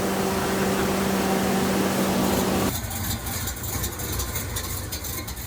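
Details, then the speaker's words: 60 kW generator powered by a natural-gas 5.7 Vortec small-block Chevy V8, after radiator repair and oil change, no leaks; smooth, even idle hum with steady low drone, no knocks or misses; normal running. "We've already tested it. We changed the oil. It doesn't leak, runs good."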